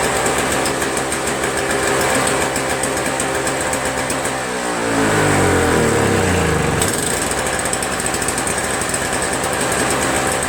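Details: Toro Snow Commander 7HP R-Tek 24" single-stage snowblower, previously no spark and wouldn't start; spark returned by itself without magneto replacement: single-cylinder engine pops evenly about four beats a second, briefly changing speed then settling; running clean and normal.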